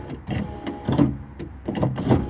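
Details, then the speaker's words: Power window motor strains in short uneven whirring bursts with pauses while trying to raise a very reluctant window that won't go back up; the glass barely moves and a broken or binding window regulator is suspected. "but I'm just gonna try and get this window back up it's actually really reluctant to at the moment it doesn't want to at all"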